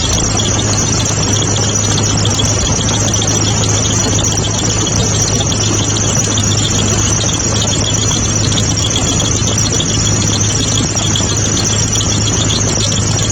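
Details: Mitsubishi GTO with a faulty A/C compressor magnetic clutch; loud steady metallic rasp with high squeal unchanged at idle. Owner suspects improper clutch clearance.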